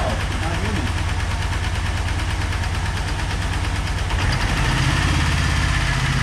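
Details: Ford Turbo Coupe parts car started after many tries, with the integrated control module jumped and the ignition switch replaced: a loud, uneven, lumpy idle that wavers and shifts about four seconds in. It runs rough, possibly misfiring.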